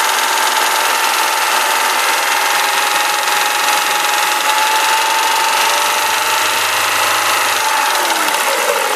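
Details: Renault Clio RS engine running steadily with a dry, busy mechanical rattle and a thin whistling tone on top; an abnormal noise, source not pinned down.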